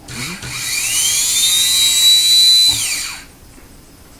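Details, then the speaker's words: Rebuilt starter motor from an early-2000s Arctic Cat ATV, bench-tested on clip leads after end play was checked: clean whine climbs to a high steady pitch and winds down; previous squeal gone, starter spins freely. "I guess there's no more squeal, huh? Yeah, it's all Okay. fixed."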